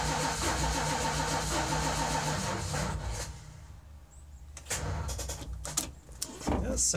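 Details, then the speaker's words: 1973 Dodge W200 V8 after almost a year sitting with a dead battery, given starting fluid. The starter churns evenly, then cuts out without the engine ever firing; the owner suspects no spark, not confirmed. "like it's just not getting spark which could very well be it's not kicking off anymore starting fluid"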